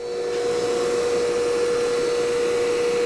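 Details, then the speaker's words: Hercules 8-inch 1 hp industrial bench grinder, new out of the box, first switch-on: clean, steady mid-pitched hum, smooth and quiet from start, no rumble or scraping; normal run. "Let's stand off to the side and kick it on. Wow. Smooth. Quiet."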